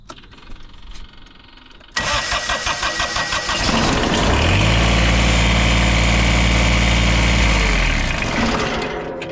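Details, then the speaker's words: Kubota diesel tractor with intermittent no-start, after adding power wire direct to starter, original starter kept: strong even cranking about two seconds, then fires and holds steady regular idle; normal start. "Oh, that's already a win right there. Oh yeah. Yeah, that did it."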